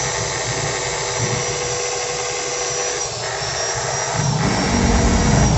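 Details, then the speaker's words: Wood planer that overheated after a new armature, tested after the third shim layer: motor at steady high speed with a faint scraping rub under the whine; armature still touching slightly, another shim layer added. "ada dikit banget ini guys ya gesekannya kita tambahkan satu lapis lagi untuk ganjarannya ya"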